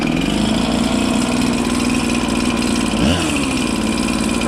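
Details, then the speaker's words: Husqvarna 365 chainsaw with a new, likely Chinese, piston and cylinder and low compression, idle adjusted so the clutch does not engage: steady buzzing two-stroke idle with a brief blip, running evenly without stalling. It runs. "you know but she actually runs if it's a Chinese jug which I'm assuming it is all right it actually runs"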